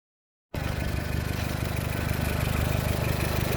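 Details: VW Golf 4 1.4 16v idling with a fast, steady knock of about three to four beats a second; worn connecting rod bearings.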